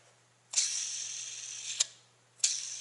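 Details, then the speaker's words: Idler pulley on a shop truck engine being rebuilt, spun by hand: a hissy, gritty whir with clicks as it starts, from a worn bearing that would make noise with the truck running. "but i noticed this idler gear it's kind of got it you can hear the bearing in it"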